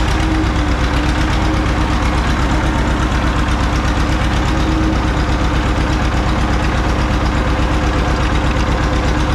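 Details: John Deere 530 old two-cylinder tractor idling in winter, not run since hay-wagon use after a no-start with a shot battery; loud, steady chug about three beats a second: healthy normal idle.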